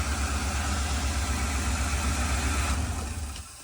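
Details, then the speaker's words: 2003 Ford E-350 5.4L V8 van, sat two years, at idle: lumpy idle with an uneven low thump about four times a second, steady dead-cylinder misfire; scanner shows no codes. "you hear that if you can hear that it's got definitely has a straight miss in it"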